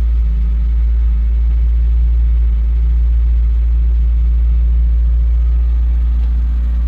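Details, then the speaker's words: Citroen ZX, earlier footage: deep steady idle with even beat, no knocks or misses; runs, though fuel tank reportedly rusted inside and it previously struggled to start and idle. "all that's good sounds good as well so it does run"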